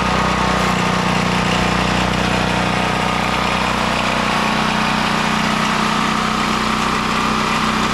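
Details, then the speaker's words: Westinghouse WGen9500 generator after replacing a bad spark plug: steady, fast single-cylinder drone holding even speed with no misfires or surging, lots of smoke; runs normally. "it seems to be running pretty good besides the massive amount of smoke in this place"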